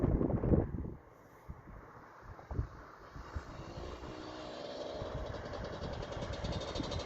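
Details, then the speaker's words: Suzuki LT250R quad, jetting tried at 260 then 280 main jet: uneven, stumbling exhaust that stutters and breaks up as throttle opens; misfire under throttle. "nope still breaking up still breaking up bad huh interesting"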